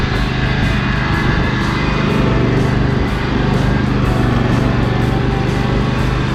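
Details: John Deere L120 lawn tractor small single-cylinder engine after brake-cleaner carb clean, stored several months over winter: steady even drone, less black smoke under drive load than before; running healthier.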